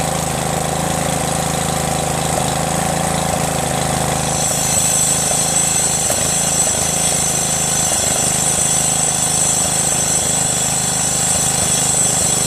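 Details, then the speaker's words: Craftsman LT1500 lawn tractor repowered with a 12.5 HP Briggs single-cylinder engine, after oil-filled cylinder was cleared: steady, even running with a clean, consistent beat and no knocks or misses; normal running. "so as you guys see man that thing starts it and there's tons of oil in there"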